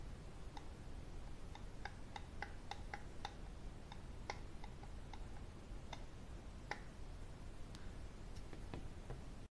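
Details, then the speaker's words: NOEBY JG2500 slow jigging reel: light irregular ticks and clicks as the handle turns; undersized shim that doesn't fit leaves too much play in the handle shaft, knocking and getting noisy when cranked hard. "there's too much play on this and you will make a lot of noise when you crank this through really hard see it's just too much play on this dish"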